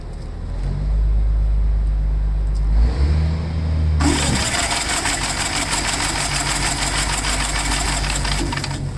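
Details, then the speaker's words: Gravely tractor after cleaning magneto points, owner over-primed fuel, compression seems good: cranks, coughs and sputters unevenly, then catches and runs harsh with smoke; flooding from too much prime. "think I put too much uh fuel yeah I did I'm sorry excuse me you know me with the two-stroke anytime I go to Prime something I always over Prime"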